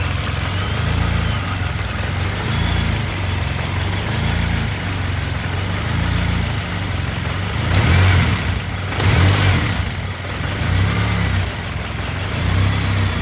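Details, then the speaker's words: Turbo K24-swapped BMW E36 after head gasket repair, just restarted after reconnecting the fuel pressure regulator vacuum hose: lumpy uneven idle with low pulsing beat, running rich at first, then leaning out and settling. "What? It's running too rich. It's starting to lean out."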